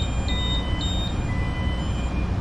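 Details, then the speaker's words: Ship engine room at sea: shaft generator engaged in PTH "take me home" mode, running as a motor driven by diesel generators to turn the propeller shaft without the main engine. Short high beeps about four a second over a deep steady roar. Normal readiness alarm on engagement. "It's normal alarm because it's always ready."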